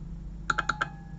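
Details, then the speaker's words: Relay from a Noco Boost GB40 jump starter that would not jumpstart, bench-tested with about 12.4 V on pins 85/86: a quick run of four crisp clicks as it pulls in, confirming the relay now works. "it was quite horrible so the relay now works and that should be the fix for our device"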